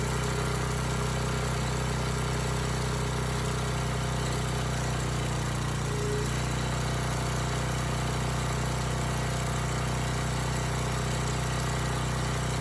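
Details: Abandoned Powermate generator, no AVR, running without load: steady even drone at constant pitch, no hunting or surging; output adjusted from about 135 V to 130 V, normal idle.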